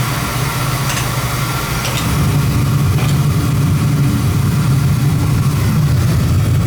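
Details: Oil burner gives a steady even low roar, no pulsing or sputter; stable flame. Draw assembly is suspected set too far in.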